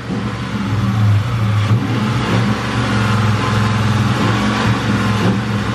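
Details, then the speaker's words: 1999 Mustang GT with Mark VIII/Cobra engine swap at drag strip: deep V8 rumble breaking up hard, uneven stumbling beat with drops; misfire throwing P0320 code, injector suspected, temps fine. "it is breaking up hard it sounds like smart blowing so we'll figure it out obviously the car's still running fine"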